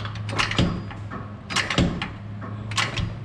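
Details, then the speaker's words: 2003 Ford Explorer on jack, wheel rocked back and forth: dull metallic clunks in groups as the front differential shifts on blown-out, rubberless mount bushings; also pops in reverse while turning; fix is replacing the bushings. "So I move the wheel backwards, forward and backwards. Look. Hear that bump? That's the bump I hear."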